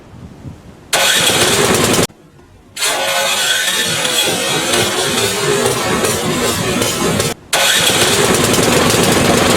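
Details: PowerSmart 24" snowblower, ninth season, first start of 2024-2025 winter after primer pushed fuel through carburetor, about 50°F outside; quiet lead-in, catches almost instantly with almost no cranking like a warm start, settling into strong, even running; healthy quick start.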